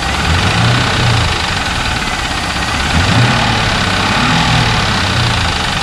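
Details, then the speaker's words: 2001 Trans Am LS1, at idle after Marvel Mystery/Seafoam treatment and 300 miles of driving: uneven low thumping about four beats a second under the engine drone, ticking/knocking persisting next day; cause unknown. "Still got some ticking, knocking, whatever you want to call it, coming from the engine."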